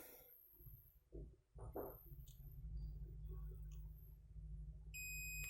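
Multimeter gives a steady, unbroken continuity beep across the rectifier diode, showing it is shorted.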